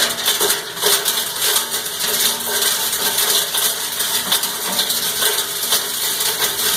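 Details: Cumberland 7.5 hp granulator, 12x12 cutting chamber, grinding PVC (Schedule 40 pipe, P-trap, fittings): bright, busy clatter of plastic chopped at a steady pace, no labouring or jamming; normal grinding operation.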